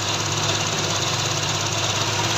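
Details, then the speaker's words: 16-valve engine after valve timing reset and front belt refit, catching and settling into a steady, even idle with light throttle, no knocks or ticks; starting problem fixed. "गाड़ी अब हमारी स्टार्ट हो गई है।"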